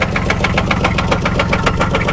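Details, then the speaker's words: 2004 Buick Park Avenue Ultra, supercharged, with a visible misfire, at idle: sharp, regular knock about five times a second with an uneven beat, seemingly from the bottom end. Owner suspects rod knock, not confirmed; service engine soon light on. "that sounds like a rod knock [Laughter] [Laughter] to me that sounds like that sounds like a rod man doesn't it to you it really sounds like her"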